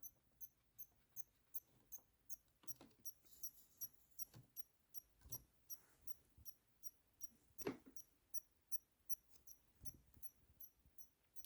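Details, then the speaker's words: Xbox One S bought non-working, after reassembly and plugging in power: sharp high-pitched chirps two to three times a second over silence, nothing responds; power supply chirping, no power on, same with another power cord. "that's strange it almost sounds like a bomb it's about to go off okay hmm nothing is responding that's concerning"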